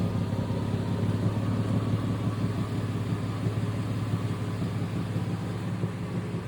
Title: Exhaust leaking? #automobile #exhaust #exhaust_pipe